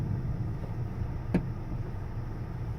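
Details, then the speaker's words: 2018 Honda Accord while slowing: one sharp little click/pop as the brakes are applied under steady road rumble, happening nearly every stop; owner unsure if normal. "I'll go ahead and hit the brake now hopefully you heard that click I'll do it again it pretty much does it any every single time even when you're just slowing down"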